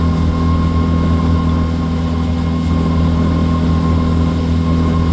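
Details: Outboard on a water test run after injector cleaning and replacement, going from high to low speed: deep, steady drone holding an even beat with no stumble or cut-out; comes down smoothly without stalling.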